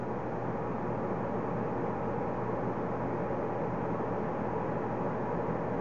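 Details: Payne high-efficiency gas furnace with no-heat fault, blower run via control board test (igniter works, no gas): steady whoosh with low hum, no rubbing or rattle; blower running normally.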